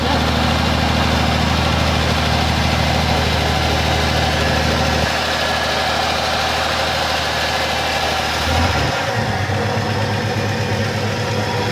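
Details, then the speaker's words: 1984 Ford F-150 V8 abandoned in the woods about ten years, first start after battery charge and fuel on old treated gas: steady low idle, even pulses with no knocking or stumbling; engine idles normally. "Well, she will definitely vroom. Yep, she runs."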